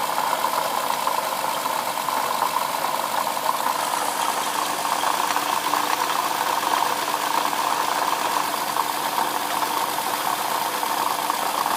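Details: 2007 Lexus IS350 at idle: fast chattering rattle with a faint squeak, constant, from the front side of the engine; owner suspects a bad water pump, not confirmed.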